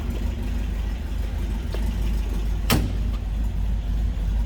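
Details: 1971 MG MGB inline-four, about 57,000 believed-original miles, new carb, just after cold start: low even idle rumble, no knocks, ticks or exhaust rasp, sounds as expected; healthy engine.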